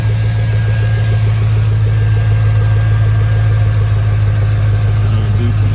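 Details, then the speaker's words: 2002 Chevy Tahoe 5.3 V8 just after installing a cheap eBay cold air intake: deep, even rumble at idle with a steady beat and no misses, knocks or ticks; sounds much better with the intake. Normal idle. "you sound way better with the intake though you sound way better easy upgrade for the 5-3"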